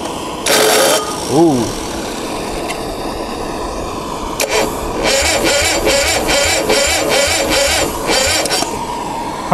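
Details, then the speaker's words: Onan MDJE diesel generator cold-start attempt with 33-degree water temperature: starter drags engine over slowly in laboured pulses and it never catches; owner suspects a bad battery weakened by the cold. "Huh, well, I think that battery's no good. Okay. I guess that battery doesn't like the cold either."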